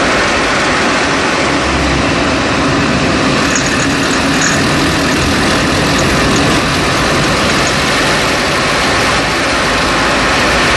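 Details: 2011 Chevrolet Cruze idling with a loud, constant metallic rattle buzzing over the engine; source never found despite dealer and forum help.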